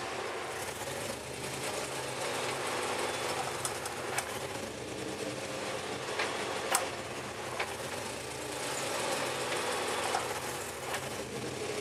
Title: CTS-V clicking noise